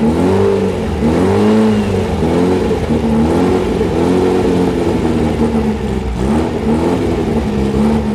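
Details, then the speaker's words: Rebuilt VW 1835 bus flat-four on a stand, after cleaning a clogged idle primary jet: revs rise and sag unevenly every second or so and won't settle; idle still too lean, carburetor needs checking. "after cleaning the idle primary jet which was clogged solid I was able to bring it back down to an idle but even at that the idle is too lean and I'm going to have to go through this carburetor and find out why"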